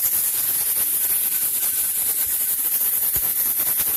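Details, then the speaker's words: Pressure canner processing quarts of rabbit meat, start of 90-minute timer: constant steam hiss with loose rocking rattle about once a second from the jiggling weight; normal at pressure. "I am up to pressure, as you can see, and as you can hear, my gauge is starting to jiggle. That is normal."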